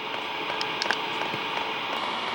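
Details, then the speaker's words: New HCalory Toolbox 2 portable diesel heater starting up: soft even blower hiss with faint light fuel-pump ticking, no rattles; very quiet pump, running properly. "you can see the fuel pump is [Applause] ticking and powering up man this thing is super quiet I don't even think you need to put a muffler on"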